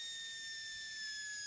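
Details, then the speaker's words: 2006 Dodge Caravan 3.3L, cooling system under pressure-tester pressure: steady high hiss with thin whistle; coolant leaking at the intake manifold, a known spot on these vans; cylinder head leak not yet ruled out. "can actually see it. It's hissing. We got a nice coolant leak there, right from the intake manifold."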